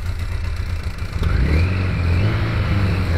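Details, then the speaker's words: 2001 Kawasaki KZ1000-P, 33,555 original miles, cold start after over six months unused, on remote fuel supply: deep four-cylinder burble rising with throttle plus rattling from overdue worn cam chain needing replacement. "you can hear that rattling sound from the engine is the cam changed damn shame makes a bit of noise it's kind of overdue to be replaced"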